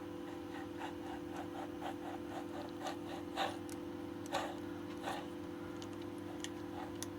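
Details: Suntour HESC CAN e-bike hub motor, partly disassembled with gears exposed: a dry, rhythmic scraping about once a second as the hub is turned slowly by hand points to rough grinding inside. Cause suspected, not confirmed.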